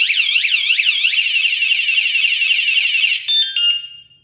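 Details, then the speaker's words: Wsdcam 113dB wireless vibration motorcycle alarm, armed and then bumped: a loud, high-pitched warbling siren sweeps up and down about four times a second, then cuts off; the alarm is fully triggered. "Someone comes along and bumps into it. Now that's the first thing you'll hear. When bump into it, set the alarm off."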